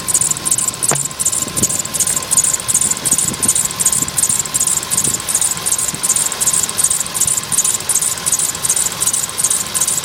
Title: свист ремня polo sedan